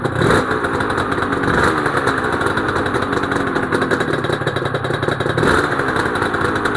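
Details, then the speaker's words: Honda NSR250R-SP MC18 250cc two-stroke grey import on JHA pipes, start of a restoration project after the fuel was topped up, power valve servo working: crisp, even crackle and buzz held steady with no misses or clatter. Normal idle. "Wow, those pipes sound Those pipes, JHA pipes, sound lovely. I'm so happy."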